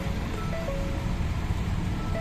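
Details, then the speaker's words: 2014 Ford Explorer automatic, no click, no crank, no start: key turned with brake pressed gives only a repeating warning chime, no starter click or cranking; PCM now communicating on scanner, multiple fault codes stored, cause unknown. "Apak susi. Start. Ay apak ano preno start wala kaya lowat ulit ayaw pumalo"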